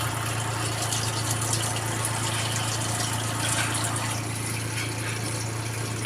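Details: Twin-tub washing machine after repair of a drain problem caused by washing rags, which can block the water path. Steady low motor hum with water rushing and draining smoothly, no rattles or strain; no more leaking water. Normal running.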